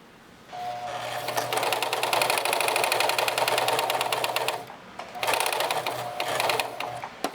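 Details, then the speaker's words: Singer 4432 heavy-duty sewing machine, heavily used since bought September 2024, run after cleaning, oiling and greasing; fast slightly uneven clatter with faint knock; always a noisy machine, owner unsure and suspects something needs adjusting. "I'm not sure if there's a bit of a knock here. cuz it always has been a noisy machine anyway."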